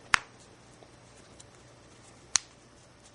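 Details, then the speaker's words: Size 20 plastic snap just set with KAM K1 snap pliers gives two crisp clicks as it is opened and closed, showing the prong was pressed flat enough and the snap is properly attached. "to make sure that your snaps have been attached properly there should be a clicking sound when you open and close"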